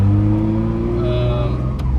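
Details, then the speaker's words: Turbocharged 2004 Lexus IS300 with a swapped 6-speed manual (reportedly about 130,000 miles on the transmission), accelerating at about 2,500 rpm with no boost yet and traction control off, recorded on an iPhone with wind noise. A whine climbs with speed; the gearbox is just loud but shifts fine and never grinds. "So you will hear a lot of whining from this transmission, and that's because this transmission is just a little loud."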